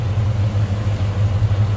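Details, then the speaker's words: 1969 Chevrolet C10 with 350 small-block V8 and automatic transmission: deep, even rumble at steady idle, no ticks or stumbles; normal idle. "running nothing too crazy on the exhaust side of things just a nice Rumble coming out of that 350."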